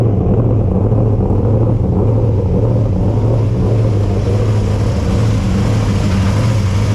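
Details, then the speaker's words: Freshly rebuilt race car V8 started in cold garage with heater on: deep, even burble at a slightly fast idle, smooth, no knocks; healthy, exhaust may rattle slightly. "well it runs sounds good um mind minding the exhaust might be rattling a little bit hopefully didn't uh wake any of the neighbors up"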